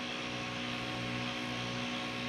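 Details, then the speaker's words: Used mining GPU (number 3) after cleaning in Red Panda mining bathwater, powered up and hashing: loud steady airy fan rush with no rattle, ticking or grinding, card not too hot; normal fan operation at high speed. "Oh, she sounds like she's about to vibrate apart, boys. Holy Lord, she's a chooching."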